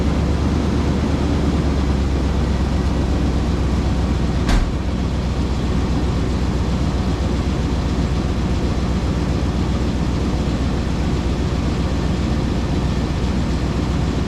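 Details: 2000 Chevrolet K2500 flatbed, 350 engine, idling after the exhaust leak was sealed with exhaust sealant the day before: steady low rumble with even pulses, no puffing or ticking at the muffler joint; exhaust sounds sealed and healthy.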